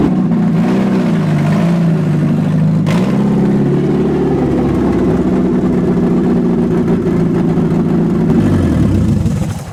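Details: Mazda Miata drift build project car, after a failed first attempt with a freshly connected battery: the engine catches, wavers, then settles into a steady, slightly rough low idle and keeps running.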